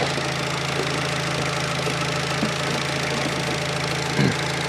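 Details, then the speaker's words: Fiat Panda 4x4 Sisley after throttle-body fuel injection conversion, cold engine, no choke, fuel pressure about 10-12 psi: steady even low drone, no stumbling or hunting; normal cold idle. "let's try again no choke nothing this is a cold engine"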